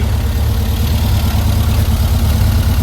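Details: 1952 VW Split bus, freshly built 1904cc stroker flat-four (74mm crank, 90.5mm pistons, up from 1641cc): deep even idle burble, steady beat, no ticks or misses; owner finds a leak to track down; normal idle.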